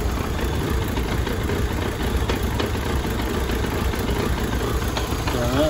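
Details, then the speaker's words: Chery Tiggo after cleaning the intake throttle body with WD-40, idling slightly irregularly; a dull rumbling whirr under the engine note that stops when the clutch is pressed, suspected to be the clutch release bearing. "né o preço está no teu retentor da embreagem para tu quando piso na embreagem para né"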